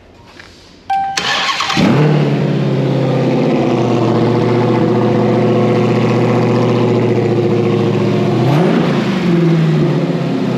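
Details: 2021 Hellcat Widebody Redeye V8 run-tested after teardown, after adding fuel to fix an earlier no-start: starter whirs briefly, then the engine catches and settles into a deep, steady, even idle with a clean rhythm; healthy start.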